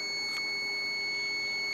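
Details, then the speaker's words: Digital clamp meter set to continuity (buzzer) mode with its probes touched together before checking an AC or fridge compressor: a steady, high-pitched beep of about two seconds, confirming the buzzer works normally. "तो इसमें से जो beep की आवाज आ रही है तो इसका मतलब यह हुआ कि हमारा जो य है कंटीन्यूटी मोड में सेट हो चुका है"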